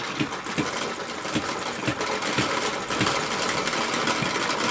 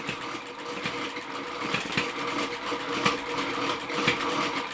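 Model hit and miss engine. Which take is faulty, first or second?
first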